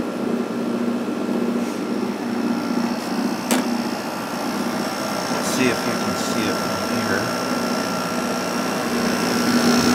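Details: Probably late-1980s Emerson Quiet Kool 6,300 BTU window air conditioner after new thrust washer fitted and motor oiled: soft even fan hum with faint steady motor tone, no rattle or grind; runs quietly, strong airflow.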